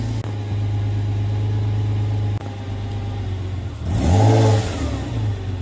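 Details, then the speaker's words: Porsche Boxster 986 2.5 after replacing the charcoal canister and non-return valve: idle holds a steady drone but stumbles twice, and a throttle blip flares and drops unevenly; still running rough, purge valve next suspect. "it may obviously take some time for the car to settle in because it's been running rough and these things take time"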